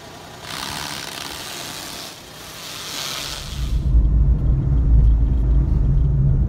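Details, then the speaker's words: Suzuki Alto after replacing a play-worn steering rack with a rebuilt unit, tie-rod ends and toe alignment, test drive: smooth road rumble over bumps and manholes with no knocks or clunks, quiet when steering left and right; clunk fixed. "まああの僕もですね隣に乗っていた嫁さんもですね青と消えたなということで感じておりましたしハンドルを右左に切った時にですねイオンがなくなっておりましたので音の原因はなくなった方と思います"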